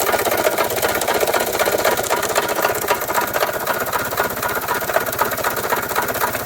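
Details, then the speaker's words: 1993 Toyota Tercel, jump-started, oil previously half to one quart overfilled: heavy regular knocking about four times a second over rough running, won't accelerate; suspected rod knock, unconfirmed. "something is definitely wrong there that's a lot of knocking and uh it won't accelerate at all and uh that's a whole lot of knocking it sounds like a rod knock honestly or something"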